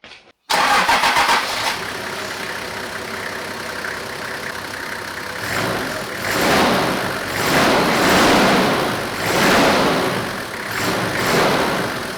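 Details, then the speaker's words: Toyota 1HZ diesel, started just after replacing and tensioning the aircon belt and tightening the pulley; cranks, catches and settles into a lumpy idle with a couple of blips, and no belt squeal at start or idle. "So, hopefully it doesn't squeak. Let's start it up."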